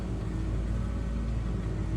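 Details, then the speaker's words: 2009 Nissan Altima CVT after transmission service and refill (about 4.5 quarts, one filter found clogged), previously whining and in limp mode: low, even idle rumble with no whine; transmission quiet and healthy, normal CVT idle. "all right let's see if the cheese starts up I don't hear winding noise anymore"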